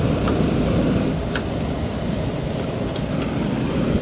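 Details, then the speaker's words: 1998 Whirlpool 10,000 BTU window air conditioner: steady low compressor hum with even fan air rush, no knocking or rattles; compressor running normally, blowing cold. "All right, that's what the compressor sounds like."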